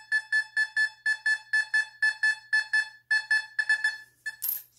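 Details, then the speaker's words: Fisher F44 metal detector air test in Custom mode with user-set tones on a penny: crisp high beeps about twice a second, stopping cleanly as the coil sweeps; normal target response. "okay definitely a disservice he has a penny look at this it's getting it way deeper it's getting it a 10 now"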